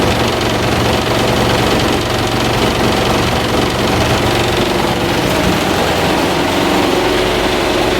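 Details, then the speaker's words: New Havells Ventilair DB 12-inch (300mm) exhaust fan, 70 W, 1400 rpm: a loud whooshing hum with a rough shaking drone as the fan shakes badly. Attributed to bent blades with unequal spacing. Fan vibration. "So basically what's the problem is that this fan is shaking very badly. This is because the blades are bent somewhere, like the ratios of the 4 blades, like the distance from the frame or the distance from the arms is not equal."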